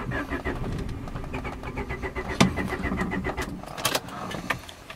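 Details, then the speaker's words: Honda Accord (CC7 series) hot restart after the main relay fix (resoldered, reconnected), engine already warmed up: a relay click, a brief crank, then the engine catches cleanly and settles. It starts normally hot. "It's actually a hot start will be because I already heated the car up. So, let's see it will work fine or not. There's the click and then the car starts. That's good."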